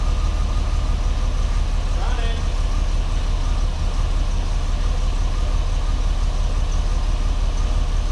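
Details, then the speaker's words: 1989 Pontiac Firebird, about 30,000 miles, sitting since 1991, first start after new fuel pump and fresh gas: low uneven idle rumble pulsing about three beats a second, rough running that begins smoothing out. "Running, not running good, but it's running."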